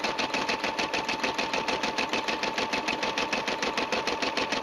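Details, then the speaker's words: Brother SE 350 embroidering after the starting thread tail was trimmed; even, rapid needle chatter about three stitches a second with a light steady hum, described as nice and even and dependable. Normal stitching. "Listening to the machine, you can hear the sound is nice and even. It stitches very well. It's been a dependable machine."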